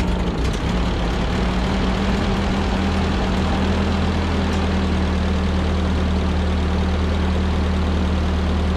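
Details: 1946 Ford 2N tractor flathead four after head gasket replacement and fresh oil: steady, even low thrum with constant idle beat, no knocks or misses; idles smoothly and healthily.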